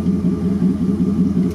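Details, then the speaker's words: LuAZ engine just started and warming toward operating temperature, with the distributor being adjusted: steady, even idle with a smooth low rumble and no knocking. All cylinders are firing cleanly. "И цилиндры все работают, потому что слышно чистая работа. Ничего не стучит."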